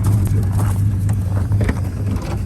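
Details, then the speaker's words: 1951 Studebaker recently freed from a stuck engine, carburetor leaking; lumpy, uneven idle stumbling and surging, misfire, owner suspects burnt valves. "Idling. Sounds like hot garbage. So I just gotta be camming it because it's got burnt valves and it's missing."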